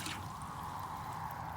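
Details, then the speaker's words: Water line from a 522-foot well after sanding the pressure switch points: steady hiss with irregular spits and gurgles as trapped air purges; water flowing again and pump delivering. "i see it jumping i hear it bubbling getting the air out of it look at that"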